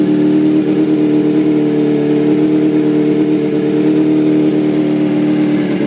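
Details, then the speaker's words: 2005 Kawasaki ZX-6R 636cc track bike, 7,219 miles, Muzzy full exhaust, Power Commander, started from cold and now about warmed up: even, steady high idle hum, no misses, knocks or rattles; normal warm idle. "so sounds like it just about warmed up see it's running really smooth no issues"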